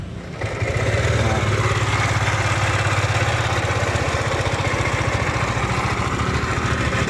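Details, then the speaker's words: Lexi scooter engine starting and idling with a harsh, rattly, frightening mechanical roughness that could seem to come from the CVT or piston; cause found to be a worn camshaft bearing. "Suaranya seperti itu ya. Ini kasar dan memang terkesan agak mengerikan suaranya ya."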